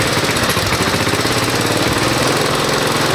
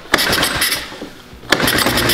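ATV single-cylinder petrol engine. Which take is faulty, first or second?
second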